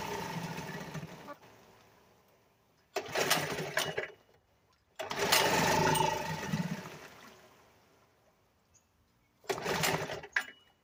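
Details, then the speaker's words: 1975 Sears Gamefisher outboard after carburetor repair, choke pulled, very little fuel in tank: three short buzzy bursts of running, each dying after a second or two; needs carburetor adjustment. "okay YouTube I can see that if that runs runs but it's gonna need some adjusting and such on it"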